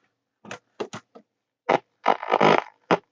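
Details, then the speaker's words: 1960s Philips "200" portable transistor radio during restoration, volume improved: programme audio at full volume comes out harsh, buzzy and badly distorted; cause unconfirmed, restorer suspects a transistor stage, possibly biasing. "we also have um very distorted audio which will be one of these fellas I'd reckon in possibly in the biasing OR yeah"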